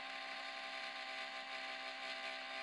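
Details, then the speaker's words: 2004 Apple PowerBook laptop hard drive: a constant high whirring grind with a rough buzzing edge and intermittent clicking, quieting when cooled and returning; an extreme spindle bearing failure, at first mistaken for a failing fan. "Anyways, that is an extreme hard drive bearing failure. They usually aren't that loud."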